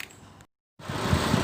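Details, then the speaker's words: 2015 Citroën C3 1.5 Flex idling after repair with new timing belt, clutch and release bearing: smooth, even idle with no squeal, rattle or bearing noise; clutch noise gone. "correia dentada nova então pior carro tá sereninha tá correia dentada nova embreagem nova tal não faz um barulhinho agora"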